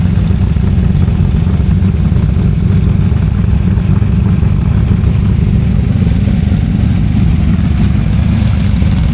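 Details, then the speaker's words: Freshly built small-block Ford V8 on a DIY engine run stand for break-in, before a planned fuel injection swap: deep, steady rumble with an even beat, holding speed smoothly with no knocks or ticks; normal healthy running. "I'm just going to add right on the end here um a very short video of the engine running on the stand so you can hear what it sounds like"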